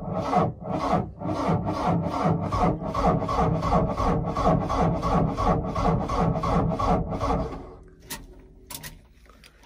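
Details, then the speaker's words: Mahindra Roxor diesel with standard battery, cranked at about minus 11 in snow with the grid heater used: starter churns slowly at roughly three compressions a second, then stops without firing; owner blames the extreme cold, cranks but no start. "yeah it will start it's just too cold and I also have to run inside my hands are getting super cold"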